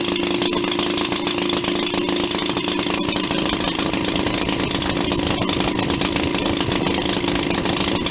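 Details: 1940 Maytag model 72 twin-cylinder, air-cooled washing-machine gas engine, rebuilt with new piston rings and gaskets after being tight: quick, even popping at about four beats a second, no misses or knocks. Normal idle.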